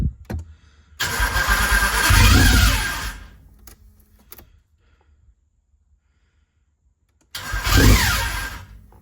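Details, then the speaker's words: Nissan 300ZX drift build, started after installing the exhaust mid-pipe: cranks and catches twice with short rough bursts and a faint scraping underneath; the flywheel is still rubbing. "That fucking flywheel's still rubbing a little bit."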